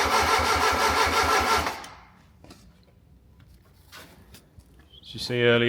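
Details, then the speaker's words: Fiat Punto GT Turbo during restoration, new fuel pump fitted: the starter turns the engine over at a steady beat for under two seconds and it never fires. The injectors were not delivering fuel. "So, after many attempts, I was getting a little bit uh worried that it wouldn't start. It was like it was firing on one or two only"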